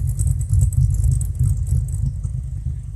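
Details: Warm Fox Body V8, mostly stock with a B cam, Flowmasters and chopped exhaust, idle trims near zero, load 18–19%: a deep, loping idle at about three uneven pulses a second with heavy burble. A normal performance-cam idle.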